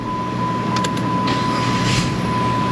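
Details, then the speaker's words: Dodge 2.7 V6 after starter replacement, battery tested good: brief, brisk crank and the engine catches at once, then runs smooth and steady; the old starter laboured. "Oh, man. You can hear it just springs right to life. The other starter was kind of laboring a little bit."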